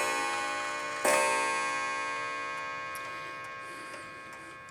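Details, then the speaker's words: Antique clock, reassembled with strike train adjusted, striking while hands are advanced: single bright bell strike decaying slowly, another light strike later; clean, normal chime. "It does this clock does the half hour and the hour. So you're going to keep doing that until you get it up to 10 o'clock on your beats."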